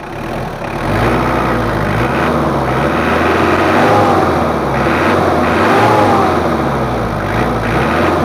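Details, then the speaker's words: Mitsubishi Kuda diesel after an engine rebuild, with complaints of high fuel use, weak pull and thick smoke, before injection pump setting. Idle with a slightly uneven, lumpy clatter, harsher than it should be: rough idle. "suaranya terlalu agak kasar sedikit menurut saya tapi kalau gagasannya udah enak tapi untuk suaranya masih kasar jadi nanti kita setting dulu seperti biasanya"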